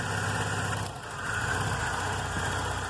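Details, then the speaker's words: VW Golf Mk3 after an engine rebuild, engine still warming up, idle actuator (stepper motor) being disconnected and reconnected: a steady, even low idle with no hunting or stumble; normal idle. "agora vou desativar ele aqui você vai ver que o carro vai vai dar uma acelerada em um pouco acelerado"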